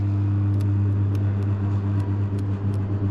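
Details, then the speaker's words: Induction motor over 3 HP on a parallel testing board, phase and neutral applied directly during spark-method terminal identification: steady low electrical hum with firm buzz and faint sharp ticks; normal winding hum. "इसमें आपको vibration सुनाई दे रही होगी ठीक है"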